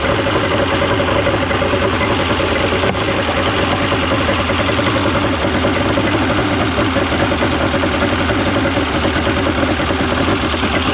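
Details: 1995 Mercury 200hp XR6 Blackmax outboard, after timing adjustment and clearing carb jets: even unbroken idle, steady low rumble, no misses, surges or knocks; runs much better than yesterday, normal idle.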